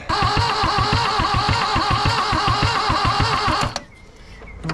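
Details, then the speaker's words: 1974 Toyota Celica GT 5-speed, sat a long time, engine reportedly just rebuilt, leaking exhaust manifold, intake resealed with two bolts: a sharp, regular knock about four per second over the running engine until shutdown; source unconfirmed. "I don't like that knocking noise but at least we're not blowing um smoke or steam whatever you want to call it missed out of the uh intake tubes"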